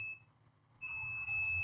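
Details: Acer Aspire 3 A315-32 laptop motherboard with no power. A steady, high-pitched continuity beep the moment the probes touch a capacitor on the 19 V line: the capacitor is shorted.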